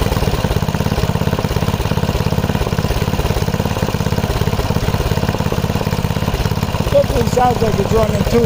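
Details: MTD rototiller with 5 hp Briggs & Stratton engine after a quick carb cleaning and new fuel pump diaphragm: the small single runs at fast idle with a lumpy, slightly irregular beat that stumbles near the end; still running unevenly, mixture likely off.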